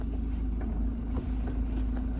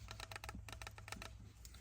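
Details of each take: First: Land Rover Defender Puma 110 diesel at idle after the gear stick was repacked with grease and its weights resecured: soft steady beat of about three per second with no buzz or rattle from the gear lever; gear stick rattle fixed. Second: Land Rover Defender Puma 110 gear stick with play at the bottom and loose weights: quick bursts of light metallic clicking over a low steady hum from the rattling weights, later resecured and regreased.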